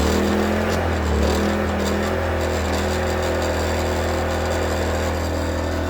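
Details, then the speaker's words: New WEN inverter generator in a truck DIY APU setup, freshly filled with full synthetic oil and started on choke: steady, low, even hum with no knocks or surging, much quieter than the previous generator; normal running. "it's definitely way quieter than the other one here"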